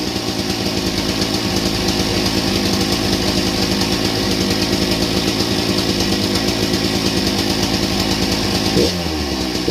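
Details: Old Husqvarna 268 chainsaw, first start with chain very loose: busy, uneven idle with loose metallic rattle; owner bets about 90% of it is the broken chain brake band lying against the clutch.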